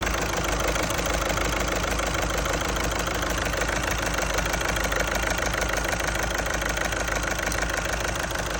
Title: Fault finding diesel injector misfire injectors or faulty cylinder? #garage #repair #cars #tools